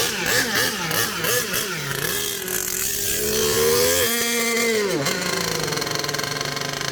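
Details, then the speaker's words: HPI Savage Octane RC truck, petrol two-stroke, cold start with choke, warming up: buzzy revs rising and falling with a thin, strained top end; too lean on the high end when revved hard. "Bit too lean on the high end. I'm going to sort that out."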